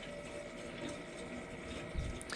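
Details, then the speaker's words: Hot water heater refilling after draining: steady rushing water through pipes, no knocking or popping; sounds like it might blow up, but it is just filling normally and is nearly full. "It sounds like it's about to blow up, but it's just filling up water."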